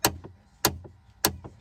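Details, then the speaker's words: Chevrolet Trailblazer, key on: sharp repeating clicks about every 0.6 s from behind the dash above the gas pedal; failing HVAC actuator, fixed. "well right there you can see that's where the actuator is at and when I go to turn the key on yet clicking up in there"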